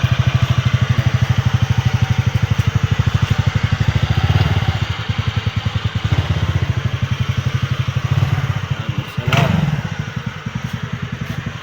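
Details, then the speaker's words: Scooter after valve clearance reset and timing chain tightening; it was noisy when brought in. Even, low idle putter with no ticking, knocking or chain rattle. The engine is now quiet and idling smoothly. "Valve clearance, binalik ko sa tamang clearance kasi maingay yung makina na ito kanina nung dinala to, pero ngayon tahimik na."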